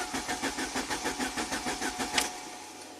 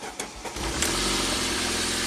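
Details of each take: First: '93 Saab 9000 CSE Turbo, dead for 6 months, with its water-flooded original ECM; the fuel pump runs but the crank sensor signal is erratic; starter spins evenly for two seconds without firing; crank, no start from the failed ECM. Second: '93 Saab 9000 CSE Turbo that sat since spring, now with a spare replacement ECM fitted; a few cranking pulses, then it catches and settles into a steady, even idle; normal start, though an intermittent no-start was reported.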